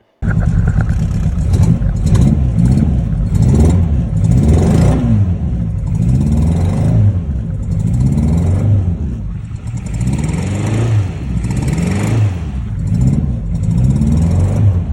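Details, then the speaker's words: Classic Mini Mark III Cooper S with a freshly rebuilt 1330 A-series engine. A lumpy, chuffing, tractor-like beat persists when revved, with some smoke. Misfire from a dead cylinder with no compression. "So essentially Chris is getting a few problems here. One is it sounds like a diesel tractor and two is it is blowing a bit of smoke."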